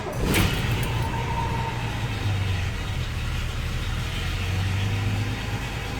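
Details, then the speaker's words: 1979 Ford F250 with 300 (4.9L) inline-six, Offenhauser intake, new 450 cfm Quick Fuel carb, cold start on choke without touching gas: brief crank, catches at once, settles into smooth even idle around 1200 rpm with no stumble or misfire; normal. "you can see it fired up right away you can see on my monster tacked on they're settling into a nice Idol"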